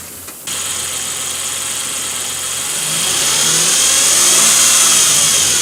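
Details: 2007 Nissan Frontier, whine started suddenly: high steady whine over the idle, stronger with revs; common issue per Nissan bulletin NTB09-128, dealer quoted $1,401 to fix.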